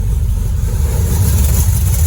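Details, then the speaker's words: Dodge Dart with a new 403 stroker V8, Hedman ceramic headers, 3-inch exhaust and Flowmaster FX mufflers, first fire-up with good oil pressure: deep, even rumble, quick blip, smooth steady lope, no leaks or rattles. "And listen to that exhaust. Hell yeah!"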